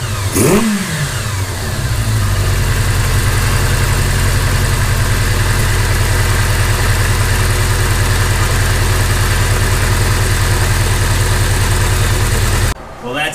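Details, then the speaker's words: 1982 Kawasaki GPz550, warm, after the pilot jets were changed from 34 to 37 and the carbs synced: a brief rev drops straight back to a low, even idle with no hunting, where before it hung at 4000 rpm. Fast idle fixed, normal idle. "I think that success so we went from a 34 to a 37 pilot jet and all of a sudden we don't have that searching issue comes right back down off my idle"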